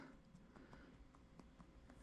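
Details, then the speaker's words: BMW 3 Series lower steering coupler (universal joint, part 32301094703) removed from car: sharp uneven metallic clicks as it knocks back and forth by hand, play from a worn rivet on the steering shaft input side, causing steering play. "and the whole coupler i'm sure you guys can hear it it's actually knocking back and forth it's just this side this is actually the steering shaft input side of it"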